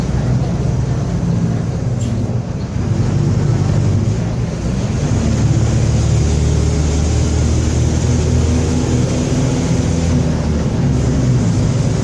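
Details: Onboard a Torino 2014 bus on a Mercedes-Benz OF-1721 BlueTec 5 chassis, recorded 2022, cruising: a steady low drone and hum under the engine and road noise. Roaring rear differential.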